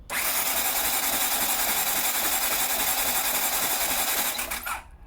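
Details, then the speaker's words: 1980 Honda CX500 restoration, cranked with the spark plugs out after a clip was added to the clutch cable to fix a no-crank linked to a missing neutral light. Fast, even whirring spin with no compression pulses; it turns over well. "So that sounds really good. It's turning over really well. Why so fast? Because the spark plugs are out. So there's nothing no compression in there."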